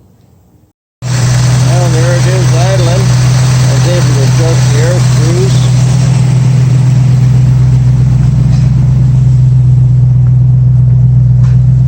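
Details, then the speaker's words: 1965 Ford Mustang after new headers installed and heated, no exhaust leaks heard; steady, even, smooth idle with no misses, good oil pressure, normal idle. "you can hear it perfectly smooth [Music] looks like that was a success"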